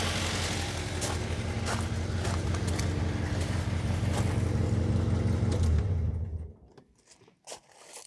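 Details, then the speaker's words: Ford Mondeo Mk3 1.8 petrol Zetec with the check engine light on and codes P0300, P0301 and P0304, heard with the windows open: a lumpy, stumbling idle about three beats a second before it cuts out, from a misfire on cylinders 1 and 4. "a double misfire does explain why the engine sounds like a bag of spanners"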